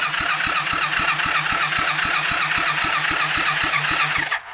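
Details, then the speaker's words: Rebuilt kids' 110cc quad on electric start: steady cranking about four beats a second, never fires; no fuel getting through because the new homemade carburettor gasket's middle was never cut out. "I'm going to pull the spark plug again and we'll see if fuel is getting down the spark plug because if it's not getting down there then obviously that's the next problem."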